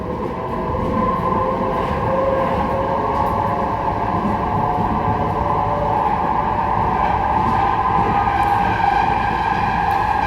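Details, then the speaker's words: Manchester Metrolink tram at full speed between Failsworth and Hollinwood: loud steady howling tone over rolling roar from the rails; rider suspects rail defects ground by rail grinders left the railhead rough; tonal rail roar. "it's going to be a bit difficult for me to talk over this, but it's coming from the rails themselves."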